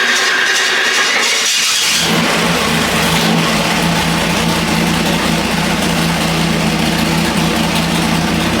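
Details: Budget 406 Chevy small block on the dyno (Scat rotating assembly, Jegs heads, intake and rockers, pump gas, 32° timing), restarted after fixing a pushrod out of its lifter pocket with rocker adjustments: a strong, even rumble, no top-end ticking; running healthy.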